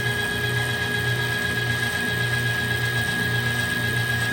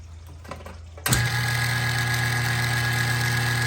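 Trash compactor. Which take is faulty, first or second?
second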